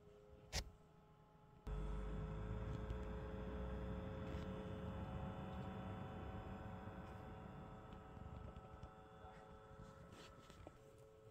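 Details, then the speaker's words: Zoostorm mini PC tower (Intel i3-4170 3.7GHz, 8GB DDR3, aluminium heatsink, FSP 250W PSU) under stress test, CPU around 60°C: steady loud airy whoosh with constant hum and faint tones, an annoyingly noisy cooling fan. "that fan is quite annoying isn't it if you can hear that I'll move the camera closer so you can hear it"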